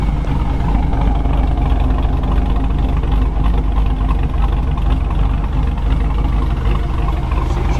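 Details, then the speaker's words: ProCharger-supercharged 5.7 HEMI V8 with stage three cam, rebuilt job, rear fuel pump done and a base map tune: deep, even low rumble at steady idle with no misses, knocks or whine spikes; normal, quiet idle. "as you can see it's looking sweet nice and quiet"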